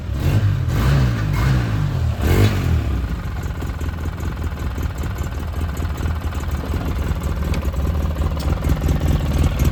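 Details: 2009 Polaris RZR 800, parked about 5 years, which earlier stalled whenever throttle was given: quick throttle blips rising and falling cleanly, then steady even idle that keeps running; engine runs normally.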